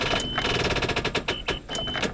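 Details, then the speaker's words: Truck not started in a couple of years, key turned: rapid chattering clicks, about a dozen a second in bursts, with no cranking. The battery is dead. "no battery's plumbed dead well how convenient is that"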